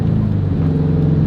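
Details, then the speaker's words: 2004 Subaru WRX STI limping home after a hump: engine drones and revs freely under throttle but never pulls, speedometer dead; owner wonders about the rear diff, a broken CV axle is blamed. "Alright, cool. Something's like real broken right now."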